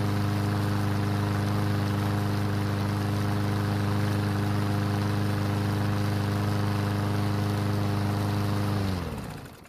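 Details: Yard Machine single-cylinder mower that would not start after winter storage, after repair with fresh gasoline: runs smooth and steady about nine seconds, then winds down cleanly. Light smoke and oil mist from the muffler, likely too much oil. Normal running.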